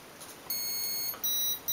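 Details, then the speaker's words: Turnigy Basic 18A ESC with EH200 brushless motor on MJX F645 helicopter in programming mode: long high beep then shorter beeps marking the timing setting in the menu. "four beeps cut off threshold one long startup mode one long One-Shot timing"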